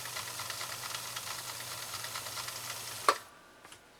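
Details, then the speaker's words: 1965 Husqvarna Viking 2000 sewing machine running with Slow Gear engaged, reducing speed to 1/5 of full speed for control: soft even whir with steady low hum, then a stopping click; healthy. "it does not increase the power it increases the control and it reduces the speed listen to this run here we go"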